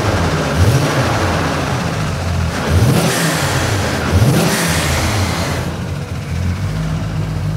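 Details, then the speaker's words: JZX100 Toyota Cresta Roulant G 500hp drift car started for the first time in two years: deep engine note with three quick blips rising and falling cleanly, no misfire or rattle. Normal running. "that sounds really good let's just leave it there"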